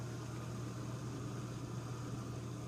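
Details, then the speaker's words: Miele dishwasher after repair of constant draining, cycle three started: drain pump gives a low, steady hum without rattle or gurgle at cycle start, normally running only briefly before fill; normal drain pump operation. "so the drain always turns on normally the beginning of a cycle but it should only run for about a"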